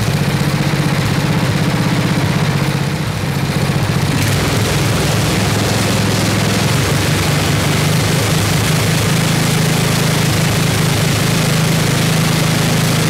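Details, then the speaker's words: 1979 Toro 826 snowblower, 8 hp Briggs & Stratton, freezing cold: governor rod pushed against spring, beat quickening from idle to raised rpm and holding smoothly; runs fine. "it puts some pressure on it trying to fight against the the spring and the governor and it should make the rpms go up quite a bit"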